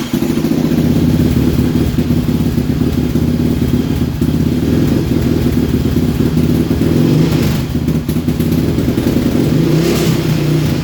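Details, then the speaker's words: 2006–2007 Raptor 700 ATV, high compression, after a top-end rebuild, with an intermittently good or bad idle that sometimes dies: loud uneven thump that sags and recovers; caused by a wiring harness fault inside the mid frame. "you're gonna hear that it kind of has an erratic thump to it so has a little bit harsher of a sound more than just what compression is"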